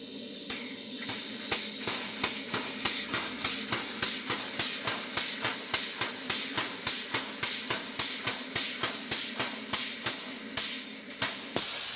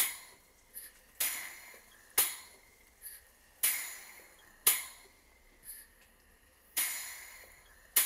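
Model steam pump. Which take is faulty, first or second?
first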